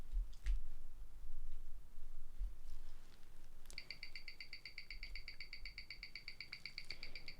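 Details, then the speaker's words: 2008 Rolex Explorer II black dial on a timegrapher: fast, even ticking at 28,800 beats per hour, beat error 0.1 ms, running around −5 to −7 s/day; no fault. "you can hear that the clicking is going a lot faster than what it was before as it is beating at 28 800 beats per hour the beat error is very good it reads at 0.1 milliseconds which means that there's nothing wrong with this watch"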